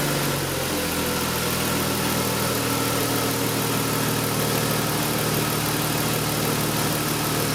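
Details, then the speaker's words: BMW E46 with an unstable idle, restarted after the DISA valve was removed, checked and reinstalled. It catches at once and settles into a steady, even idle with no stumble, even when revved slightly: normal idle. "como habéis escuchado hemos arranca el motor no se ha escuchado ningún rapeo eso es muy muy buena señal"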